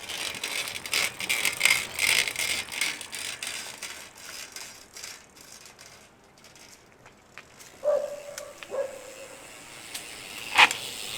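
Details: Shimano XT 12-speed Micro Spline rear hub (M8110): dry ratcheting clicks, then short squeaky creaks and a sharp snap from a freehub creaking and needing grease.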